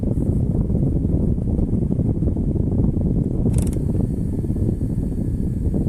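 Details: Sprinter/Crafter van dashboard: fast dull ticking from behind the dash, heater actuator valve whose gears slip as it drives; ticking heater actuator valve.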